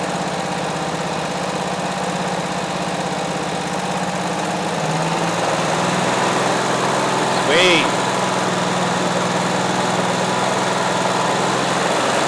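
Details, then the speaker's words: Abandoned 2003 Exmark zero-turn mower, unrun for years: engine runs even and steady, throttled up then idling back down smoothly; running well though fuel is spraying everywhere. "sweet and idle down nice all right we got a running Moine"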